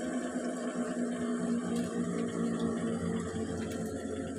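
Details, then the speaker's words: LG Turbo Drum single-tub washer after replacing the faulty pressure switch: steady whirring spin with water swishing and no knocks, grinding or scraping; working normally again after previously refusing to spin. "Sekarang terlihat normal dan mesin cuci artinya bekerja kembali dengan baik."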